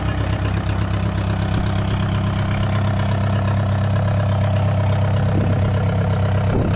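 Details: VW 1.9 mechSDI diesel in a homebuilt mini loader, first start, not fully cold after being kept in the garage: a low, steady idle with an even clatter and no misses, running smoothly.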